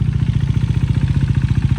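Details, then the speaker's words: Salvage wrecked KTM 390 Duke single-cylinder idling on a steady beat of about twelve pulses a second with a dull knocking rattle on top that doesn't go away. Cause unknown. "That knocking like sound and it's not going away. Listen to that. Is that normal on these bikes or is it just me?"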